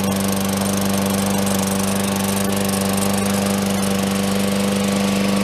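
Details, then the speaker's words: Lawn mower restarted after tightening a loose blade, initially a little flooded: steady, even buzz at constant speed with no knock or rattle; runs smooth and healthy. "And here we go. We didn't press it enough. That lawnmower runs great."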